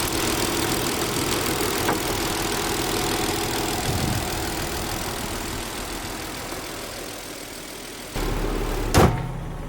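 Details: High-mileage Nissan 300ZX with a bogging issue, after battery reset and idle raised; TPS suspected and to be ordered: steady, even idle with a smooth low rumble, no misses or hunting; normal idle.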